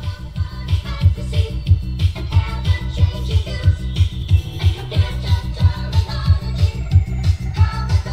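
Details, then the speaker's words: UK Akai midi hi-fi turntable running on US 60 Hz mains: the music plays noticeably too fast and high-pitched because of the US/UK mains frequency mismatch. Turntable overspeed from mains frequency mismatch. "Yeah, so obviously playing way too fast there."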